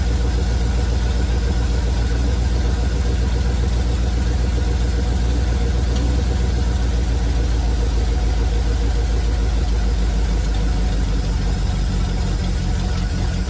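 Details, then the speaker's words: 1971 Chevrolet C40 truck V8 at idle after carb cleaning and idle mixture adjustment: rough, heavy idle with a steady low chuffing knock; the truck's exhaust is shot and that is the knock heard. "The exhaust is shot on this truck, and that's the knock you're hearing."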